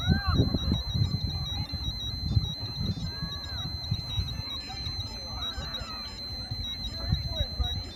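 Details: Lowrance Hook 4x fish finder: high thin electronic beep repeating over handling rumble, happens whenever fish ID is turned off; owner unsure if unit is defective.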